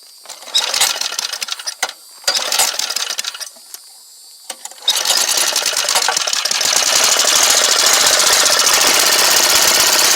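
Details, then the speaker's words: Small lawn mower/go-kart engine started choked on fresh fuel after fitting a new carburetor to replace a badly corroded one; a few stuttering tries, then a fast, even buzz holding steady without surging. "okay now with some fresh fuel and we got it choked we should be ready"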